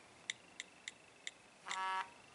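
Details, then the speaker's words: iPhone 6 being tested after a display replacement, with the LCD and touchscreen working. Four short keypad clicks, then a brief buzzing error tone as a wrong passcode is rejected. "That's the wrong code. So the screen works, and we can finish the process."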